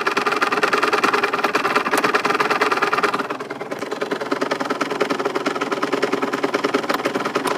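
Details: Aprilia RS 125 two-stroke running with a fast, light ticking over its buzzy idle; the owner cannot find where the ticking comes from.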